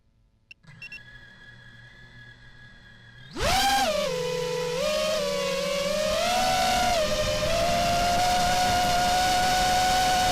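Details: Quadcopter with new RDQ 2205 2450kv brushless motors, flying fine: quiet idle tones, then a loud rising whine stepping with throttle over heavy rough hiss that sounded strange in playback; cause unknown.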